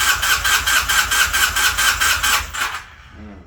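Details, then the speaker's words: 1981 Honda CM400 sitting since 2000, starter cranking about two strokes a second with no catch after swapping in a known-good coil (old one failed ohm test); still weak intermittent spark, possibly a rusty flywheel. "Still intermittent spark. Interesting. Why do you have weak spark?"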